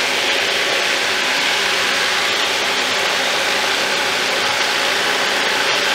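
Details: Thumlers UV18 vibratory tumbler, a little over half rocks plus ceramic media, water and 4 scoops 120-220 grit: steady dense rattling hiss of media churning evenly, no knocks or stalls; normal run.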